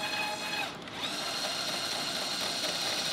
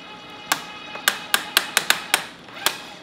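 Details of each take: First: Electric tapping arm cutting two 1/4-20 holes through a 3/8-inch steel plate at 150 rpm in and 250 rpm out. A smooth, steady motor whine with a brief pause at reversal, then an even run back out; the tap cuts cleanly. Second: Electric tapping arm cutting 3/8 thread in thick plate, flex collar at about 75 speed: uneven sharp clicks as the safety clutch slips, setting too light to give needed torque.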